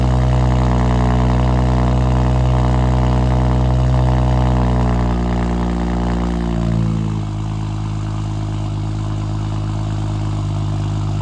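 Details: Built BMW 335xi just after new OEM valve cover and gasket fitted, fuel rail and wiring harness reinstalled: smooth even idle, steady low drone, note settles lower midway, no ticks or misses; running fine, test drive next.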